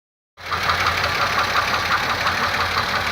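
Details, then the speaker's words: 2002 Pontiac Grand Am GT 3.4 engine at idle: sharp metallic knock, about three per second, steady over idle, began days after spark plugs, oil and tune-up; cause unknown, engine knock at idle. "Y este ruido le empezó a los días. Es un golpeteo."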